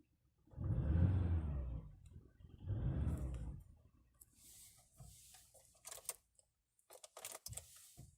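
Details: Volkswagen Polo sedan, engine still warming up: two short revs rising and falling unevenly with a rough, lumpy note; engine misfire during warm-up, with the EPS warning light coming on.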